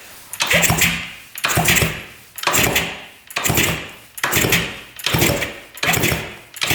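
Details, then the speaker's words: 1970 Yamaha R5 350 two-stroke twin, oil put in the cylinders, owner unsure if rings are stuck: seven even kick-over strokes about one a second, clean churn without catch or scrape; engine turns freely. "Pretty darn smooth."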